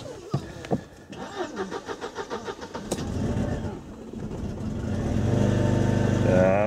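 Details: Mercedes W210 after replacing a failed fuel pump (earlier loud hum, then no start) with a new Bosch pump that runs nearly silently: the starter cranks in even pulses, then the engine catches and settles to a steady idle. Starts cleanly.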